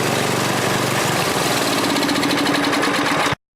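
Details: Tecumseh Snow King 8–10 hp snow blower engine just after carburetor replacement, primed and started on choke. Loud single-cylinder chatter firing at a steady, fairly even beat until it cuts off: normal running.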